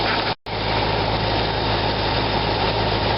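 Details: 2004 Corvette Z06 serpentine belt drive after belt replacement, at idle: thin, constant high squeal over a steady idle. Noise traced to the upper idler pulley bearing, not the belt; pulley to be replaced.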